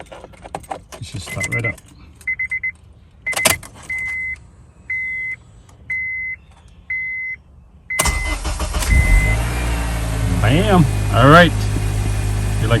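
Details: 2006 Honda Accord just after a new starter was fitted: chime beeps, then a quick strong crank catching straight into a smooth, steady idle; healthy new starter, clean start.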